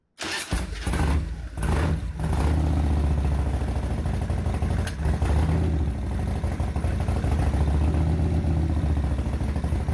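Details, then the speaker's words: Revtech 100 cubic inch V-twin motorcycle, sat a few weeks, cold start after priming the Mikuni carb with throttle twists: a few cranking thumps, then catches easily into a deep steady lumpy idle; starts and runs normally. "30 inches of thigh slapping blood pumping nuclear brain damage"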